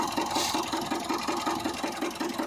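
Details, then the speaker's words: Mitsubishi Pajero Sport 2, 4D56 diesel, idling in Drive: sharp regular knock about five a second, timing belt not jumping; knock heard in Drive and Reverse, fading by 1000 rpm and nearly silent in Park or Neutral; broken crankshaft. "машина на драйве какой-то стук непонятный ремень ГРМ не прыгает но натяжитель не видно"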